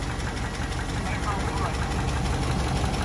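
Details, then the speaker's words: Ram 2500 6.4 Hemi, about 24,000 miles, oil apparently never changed, most consumed: steady knocking tick about three per second under rough idle, stalling unless throttled; suspected lifter/cam flat-spotting, possibly rod or bearing knock. "it could it could be a rod knock or some sort of bearing knock as well it's getting bad it's the point now where the truck is dying and not wanting to start unless you're giving it throttle"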